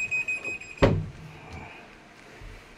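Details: American Home automatic washing machine that washed but would not spin dry, now spinning after a part replacement: a thin high beep with a door thump as it shows error E2 because the door/lid is open.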